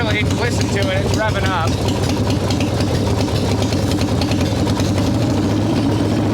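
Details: 1995 Harley Evo Softail V-twin, first start after rebuild: loud, revving unevenly and hunting at idle with popping bursts; owner suspects intake air leaks, janky idle screw, possibly ignition issues; rough idle.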